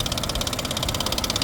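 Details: 2017 Nissan Pathfinder at idle, engine bay: fast, regular light ticking over a quiet idle; cause unconfirmed; oil and fluids look good, battery just replaced.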